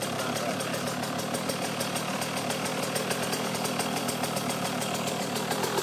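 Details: 2009 KTM 125 SX two-stroke, first start after top-end rebuild with OEM KTM top end, about 2 minutes on it, cold pipe, no choke, one kick: crisp, even popping at steady idle, no misses; normal idle.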